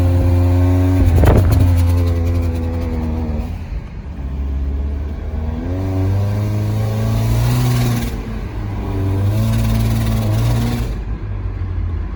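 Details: 2010 Nissan Versa at 114,000 km, under hard acceleration while driving: revs climb unevenly and surge in waves with breathy whoosh and chattering, mistaken for intake leak or transmission slip; clogged catalytic converters.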